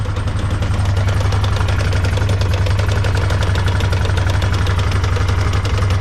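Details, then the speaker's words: 2008 Honda 500 Foreman ATV idling in first gear after neutral: repeated low clunking, about four a second; something stripped in or going to the rear end, ring gear okay, owner suspects a U-joint. "And you can hear it clunking. That's right, we stripped something in the rear end, or going to the rear end."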